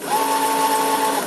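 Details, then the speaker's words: Kid's electric scooter that had stopped responding to the throttle, after fitting a replacement circuit board: on pulling the throttle a steady, even electric whine holds one pitch about a second then spins down cleanly; now working. "we're working result it's working it is working"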